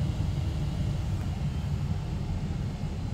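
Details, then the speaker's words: Mystery 486 tower with an Intel i486 DX2 and AMI BIOS that earlier gave 3- and 8-beep codes, turbo off: only a steady fan drone with no beeps; it POSTs normally despite a wonky display. "display signal is a little wonky but we've got a cursor no beeps so aside from the odd flashing bars on the screen sounds like everything has booted"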